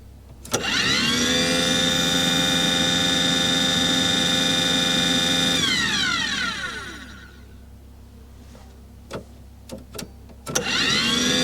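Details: Aqua Hot 400D RV boiler burner: motor spins up to a steady whine for several seconds with no flame rumble or smoke, then coasts down. It runs without igniting.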